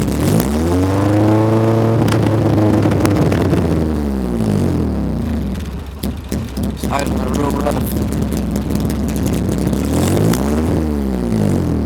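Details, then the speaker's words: B20-engined Honda Civic on first start, running straight from the header with no exhaust connected and a vacuum leak still being chased: very loud, raw exhaust bark that swells and drops on each rev. "there's no exhaust connector right now it's running straight from the header"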